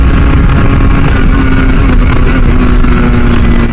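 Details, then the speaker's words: Yamaha RX100 two-stroke under restoration, fitted with a Japanese carburettor, previously run on gas, revved hard: loud, busy two-stroke crackle with a steady buzzy "atta-datta" note at high revs; strong, healthy exhaust. "இப்போ தான் எப்படி அட்டா ta-ta ta-ta வேறு லெவலில் பிரிக்குதா sound."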